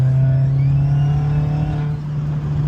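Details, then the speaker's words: 2001 Audi A4 B5 turbo, warmed up, boost leak fixed, under boost: thin high whistle like a dentist's drill rising and falling over the engine drone; owner suspects a dead turbo, maybe fins damaged by debris, not confirmed. "But you can hear it. It's got the old dentist Dremel noise. If you know anything about turbo cars or turbos, that is the sign of a dead turbo."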